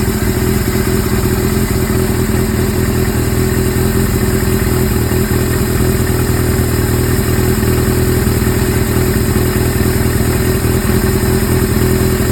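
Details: Suzuki GS-series motorcycle (GS750/GS550/GS1000, CVK carburetors), follow-up on an engine noise: idling with a busy, irregular clatter over the exhaust beat at steady speed; abnormal engine noise at idle, cause unknown.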